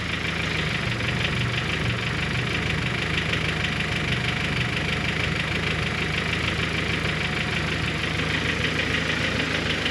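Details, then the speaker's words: Honda H22-type cylinder head at cold idle after the Lost Motion Actuators were replaced: fast, light ticking about three per second, still present and coming from the head. Not the timing belt or piston; owner suspects valve retainers or springs. "well it didn't get fixed it's still there [Music] so I am pued I don't know what else could it be it's not the timing belt it's something in the head"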